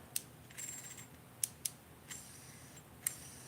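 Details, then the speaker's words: Dark Wolf Ultra Black Knight II baitcasting reel with extra magnets added to the brake: brief scraping whir as the spool spins, between sharp clicks. Magnets rub the spool unless the brake is set past two, on both reels. "so yeah all the way i have to go past two before it doesn't rub those magnets rubbing and it does on both reels"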